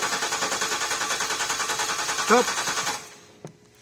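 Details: 2010 Range Rover Sport L320 V6 diesel cranks steadily at about 3.5 beats a second for three seconds without firing during a fuel pressure control valve test; the sensor seems fine, so low-pressure supply or the lift pump is suspected next.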